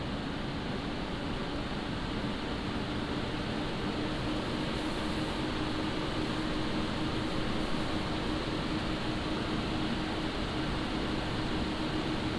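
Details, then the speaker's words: Montech HyperFlow Digital 360 AIO, microphone about half a foot from pump and 1 foot from radiator fans; steady airy fan rush with faint constant pump hum, no rattles or grinding — normal running. "So that's the noise that you hear from the radiator and from the pump."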